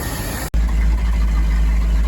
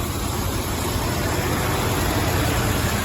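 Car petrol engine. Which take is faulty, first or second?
second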